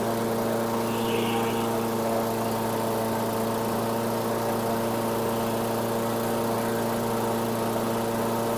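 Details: 2008 Weedeater 22-inch 500 series mower, engine model 10T502, after non-start repair work: steady even drone, slightly raised pitch, never hunts or sags; RPMs a little high, possibly left high for heavy cutting; throttle cable and a possibly bent screw to check.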